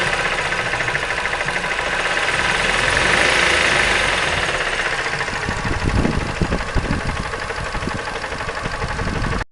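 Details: 2005 Mazda 3 running engine with a light, irregular tapping growing more noticeable in the second half; unexplained engine knock, cause unknown.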